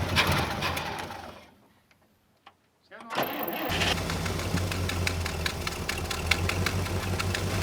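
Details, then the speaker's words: 1974 International Harvester 500 farm truck on propane, revived after 17 years abandoned: after a short stumble it picks up and holds a full, even roar under throttle once running right; normal revving. "now that we got it running right I can give her the beans she revs up"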